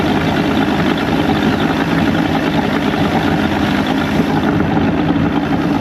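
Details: Evinrude 150hp two-stroke outboard after the VRO oil pump was deleted and replaced with a double fuel pump, with a lost O-ring substituted: loud, steady drone with an even beat, no misses or knocks; running clean.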